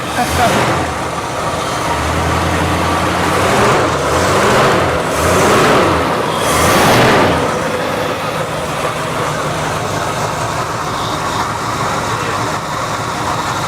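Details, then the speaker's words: 1973 Dodge camper special V8, abandoned 25 years, just revived and building oil pressure: deep, steady, even idle with no missing or stumbling, quiet and smooth, no fuel leaks. Normal idle. "Yeah, it runs good. It ain't missing now. It's not missing? Look at that. Wow, it's really quiet."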